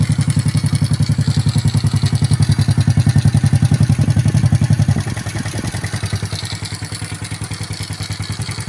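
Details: Honda Karisma 125 after its piston-slapping 150 bore-up was returned to a standard bore, first start after reassembly: steady, even single-cylinder thump about three to four times a second, no slapping or rattle; normal idle.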